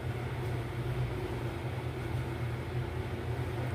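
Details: Besat fully automatic washing machine on a spin-only test, with a spin problem and noise in spin mode: low, steady motor hum that never builds into a spin whoosh; the drain pump seems not to open, so the brake doesn't release and the basket stays put.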